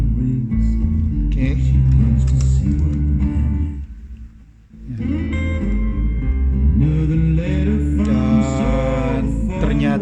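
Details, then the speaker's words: Kenwood GE-56 graphic equalizer, powered on and passing music from a CD player to active speakers: full, steady sound with no crackle or scratchy pops; audio output still clean, unit only needs cleaning. "tidak kresekan ya. Masih oke, masih bagus."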